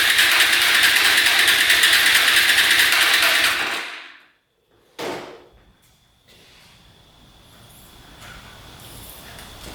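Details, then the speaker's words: Hyosung Aquila 250 motorcycle, junk fuel pump bypassed, plugs out and cylinders cleared, gas put directly in carb: brief buzz, dies, sharp pop back through the carb; owner suspects ignition timing off, not confirmed. "You can hear it popping through the carb. So typically when it blows back through the carb like that, it means timing's off."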